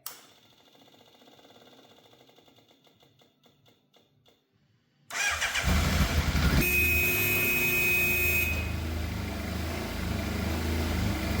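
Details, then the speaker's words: Fire-damaged, long-sitting Yamaha FZ750 four-cylinder, 41,000 miles, jump-pack start after throttle cables and idle screw adjusted: faint ticking, then catches into uneven, lumpy run with wavering note; rough running, firing on all four but unhappy, cause unclear. "it is firing on all 4 cylinders because it's running, but it does not sound happy."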